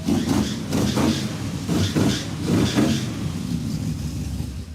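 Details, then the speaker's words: Junkyard Chevy Tri-Five with a makeshift exhaust of aluminized tubing, dryer ducting and two Holden Monaro mufflers: a low, fairly quiet V8 rumble with an uneven idle lope and no rasp or rattle. Exhaust sounds healthy and well muffled. "Success. It sounds quite good. It's got a little rumble."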